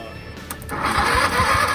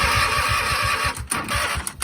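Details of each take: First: Kohler V-twin garden tractor sat about a year, borrowed weak starter, fresh fuel, solenoid jumped, now on 1,000 cranking-amp battery: solenoid click then brisk, even cranking about five beats a second; strong cranking, engine starts. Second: Craftsman hydrostatic garden tractor, Kohler V-twin sat about a year, new plugs: cranks a few seconds, catches, then settles into a lumpy, slightly uneven chug; running rich with the choke stuck half on, hurting power.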